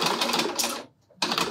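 Fast busy clatter from the sewing mechanism, harsher than a smooth run, with one short pause; dry, noisy running, cause unclear.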